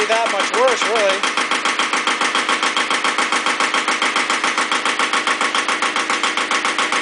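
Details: Iseki TX-series diesel tractor (KE70 engine) idling warm on a 70°F day; hard, clattery knock about 2.5 per second, cause unconfirmed.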